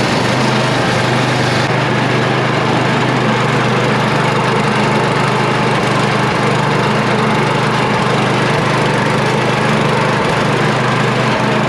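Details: Yard Machine (MTD) snow blower with a Tecumseh 8HP engine catching on the first cold pull with choke and throttle up, outdoors, after a previous no-start with a vacuum leak; it runs strong and steady with an even, unwavering single-cylinder beat.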